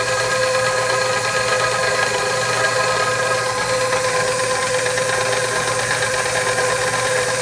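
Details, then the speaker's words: KitchenAid stand mixer (second unit, first stripped a gear) kneading bread dough on speed 1: steady motor whir with loose, irregular knocking underneath, something knocking around inside; dough hook not stalling. "Here, sounds like something's knocking around inside the machine."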